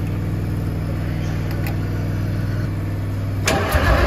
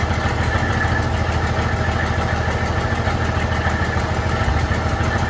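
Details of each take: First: 1972 Freightliner cabover diesel, first start attempt in 27 years, smoking with injector lines cracked: steady starter cranking about four beats a second, turning over well, then a sudden rough roar as it briefly catches without starting cleanly. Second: 1972 Freightliner cabover diesel truck, recently revived after 27 years, restart: fires straight up and settles into a steady, even idle with a low, regular chug, "fired right back up"; normal idle, still holding air pressure.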